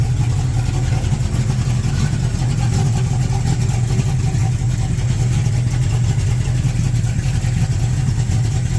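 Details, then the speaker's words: 1967 El Camino small-block Chevy 355 with Vortec heads and a big cam, after installing PRW 1.5 full roller rockers and adjusting valves: deep, even V8 idle with steady lope, no tapping or misfire; smoother than before. "Lock all the poly lock. No misfire. No tapping. Sounds good."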